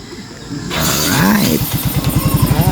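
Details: Yamaha Mio i 125 scooter that previously wouldn't start, only cranked, after throttle body cleaning and genuine parts: brief whirring start, then the engine catches and settles into a steady, even putter; normal start and idle.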